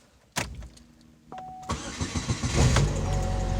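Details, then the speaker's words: Pontiac Grand Am towed in with a no-crank and an oil-covered suspected starter. After the repair it cranks briefly, starts right up and settles into a low idle, though it sounds rough. "go ahead and see if it'll start there we go started right up and it sounds like crap but it starts"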